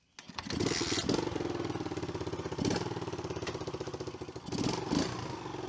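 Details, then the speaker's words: Early-2000s Kawasaki KLX110 dirt bike after kickstart/sprag clutch repair, carb cleaning and service: catches quickly, settles into a steady, crisp single-cylinder putter with a few clean throttle blips; running properly. "well guys that about does it for the old kawasaki 110 we are going to put fork seals in this but we're pretty much done with it otherwise uh we got it running we got it started"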